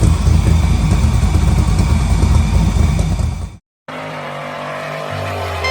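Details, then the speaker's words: LS3-swapped '72 Impala convertible V8 after misfiring cylinders were fixed and codes cleared: revs up strongly and evenly with a clean, throaty pulse and no stumble, then settles to a smooth idle. "we're gonna get a true sound check a a true sound test for what this engine's supposed to sound like"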